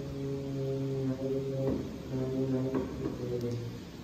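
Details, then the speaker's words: Raw-graphite air bearing spindle thrust bearing being preloaded with weight: steady low buzz around 130 Hz, breaking and resuming amid handling knocks; air hammer oscillation from too much flow through porous graphite, fixed by impregnating it to reduce porosity. "so you get this air hammer effect where there's too much flow through the gap and basically the thing is just oscillating up and down"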